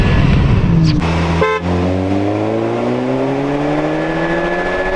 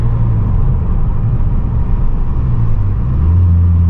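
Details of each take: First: 2012 VW MK6 GTI 2.0T pulling hard, before DV+ upgrade: rising engine tones with a thin steady whistle or scream on top; leaking factory diverter valve not holding full boost, replaced with Go Fast Bits DV+. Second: 2012 VW MK6 GTI 2.0T after installing a Go Fast Bits DV+ diverter valve replacing a leaking stock one, accelerating in second gear: deep even drone climbing smoothly, turbo audible but no whistle or scream; pulls cleanly.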